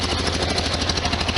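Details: 1973 VW Super Beetle air-cooled flat-four idling after valve cover gasket and oil/filter change, checked for leaks with seepage on the other side: a quick, even chuffing beat with no ticks or knocks, not much noise; normal idle.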